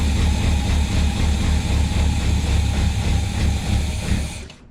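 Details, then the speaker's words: Suburban that sat five years: steady starter cranking at about four beats a second that never fires. The pump works, but fuel likely isn't reaching the carb; suspected varnish-clogged tank sock, pickup or fuel lines, and a new tank and sending unit is planned. "I'm thinking the tank or something, or the lines might be plugged up. Clogged up."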